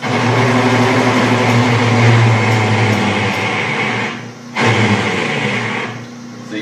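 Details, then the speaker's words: Small lathe drilling a go-kart rear-wheel part with a 3/4 inch bit: steady motor hum laden with rough, labouring chatter that drops away briefly mid-cut; the lathe is straining on the oversized hole. "little lathe does not like drilling big holes like that."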